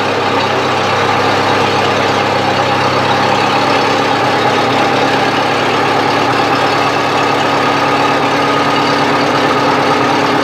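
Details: 1970s Bobcat 610 skid steer, near-cold start: steady, even idle with a smooth low rumble and no knocks or misses; the engine runs well, though a broken seal still needs fixing.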